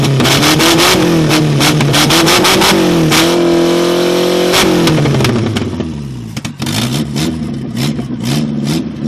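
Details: 1969 Ford Capri barn find with twin Weber carburettors, first run after revival: the engine rises and falls through several clean revs, pitch tracking the throttle smoothly, running freely with no knocks.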